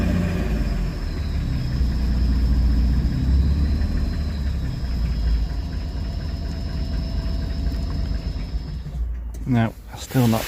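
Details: Engine stood about 15 years, second start-up, running with no idle control valve: idles rough and lumpy for about nine seconds, smoking, then dies out completely; cannot hold tick-over.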